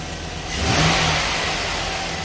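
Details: Chevy Silverado/GMC Sierra truck after replacing the fuel lines with braided stainless lines, relay refitted and key cycled three times to prime: the engine catches cleanly, revs smoothly and settles to a steady even run with no misses or knocks; normal start.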